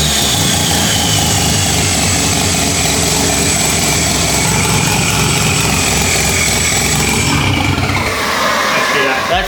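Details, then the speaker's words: Lamborghini Diablo replica with 13B turbo rotary, first start after timing adjustments, no coolant in engine, very smoky: fires up and settles into raspy, uneven-sounding but steady idle with bright exhaust note; engine running normally. "it's starting to come more alive as well but we don't want to run it for too long cuz we have no water in this thing whatsoever but that's sick very smoky"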